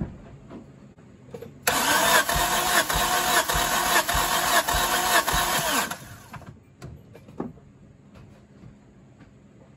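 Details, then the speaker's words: Turbo Hyundai daily after a loud pop at the track, compression test with plugs out: about four seconds of brisk even cranking, no uneven beats; cylinders read within about 8, judged not bad. "We got, before we were in about the 3rd line, and we're about the 4th line. That's not bad. That's only a little bit of difference between each other."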